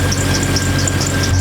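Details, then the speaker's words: 1992 Jeep Wrangler YJ, after fixing a leaking fuel injector: steady, even idle hum with no misses, ticks or knocks; repair done. "that wasn't so bad got it all fixed up"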